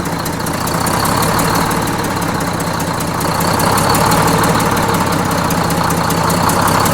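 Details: Bus with Detroit Diesel 6-71N just after a fresh in-frame rebuild, idle being set at the governor: steady, even idle with smooth mid-pitched drone, no heavy knocks or stumbles; normal idle.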